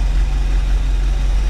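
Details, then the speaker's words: 1984 Chevy Champion motorhome V8, revived after years unused, just restarted with carb bowl filled: steady even low idle rumble, no misses, knocks or surging; oil pressure present, valve train quieted, still running. "it's blowing me away it's still running at this point"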